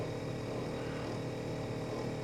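Steady, even low hum from a refrigerator compressor, with no rattle or buzz riding on it.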